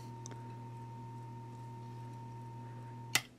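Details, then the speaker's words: GE washing machine motor that stopped with burning smell, run on a variac: steady low hum with thin whine, barely spins and warms up, hums without turning when capacitor removed; windings burned black. "I'll turn it off we're not getting a very good Spin and they're a little warm"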